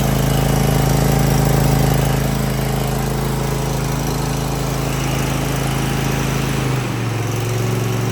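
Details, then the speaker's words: Cub Cadet ZT1 zero-turn mower small petrol engine at low idle after throttle cable and lever replacement, started with some choke: steady, even idle with smooth regular beat, no misses or knocks; normal idle. "That sounds right."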